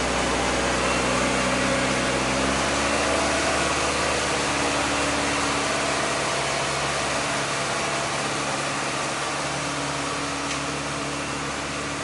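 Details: Acura Integra, with a coolant leak, owner suspects a dirty or clogged idle air control valve: steady fast idle around 2500 rpm with an even drone that stays high instead of dropping back; high idle, cause unconfirmed.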